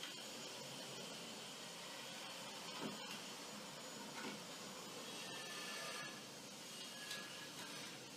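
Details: Washer-dryer drying fan motor after repair (disassembled, plastic-safe grease on plastic seal, turbine refitted with new washer and screw); soft even airy whir, no rumble, grinding or squeal; noise much reduced, normal.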